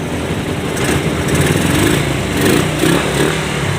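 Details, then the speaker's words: Suzuki Raider 150 motorcycle after repair; it came in with a loud typewriter-like rattle. Now a brisk, even idle putter with no rattling or tapping over the exhaust; engine quiet and healthy. "Ayun, tahimik na yung kanyang engine, ano? Okay, umaandar na yan mga kaibigan."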